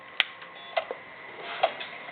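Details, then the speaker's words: Xbox 360 with a disc inserted: a few isolated clicks and a brief whir as the laser head shifts, then quiet with no spin-up; the drive doesn't recognize the disc and shows an open tray error. "And then on the screen, when it loads, okay, see it says open tray. It doesn't even recognize that there's a disc there."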